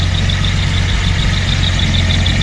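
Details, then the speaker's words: 1974 Datsun 260Z six-cylinder at steady idle: light, high belt chirp repeating about five or six times a second from down in the engine bay. "can hear a little belt chirp down there."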